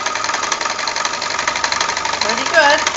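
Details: Janome sewing overlocker with a slipping drive belt, test-run after the belt was tightened and before the remaining screws went back in: fast, even chatter at steady speed with no slipping or surging; runs smoothly.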